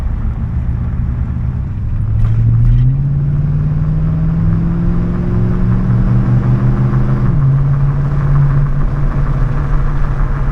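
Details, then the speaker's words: Truck cruising on its previous aftermarket wheels with real noisy tires, before swapping back to stock: heavy low drone rolling steadily under the engine note regardless of throttle, loud tire road noise. "But yeah, they were real noisy. So you can hear that road noise also."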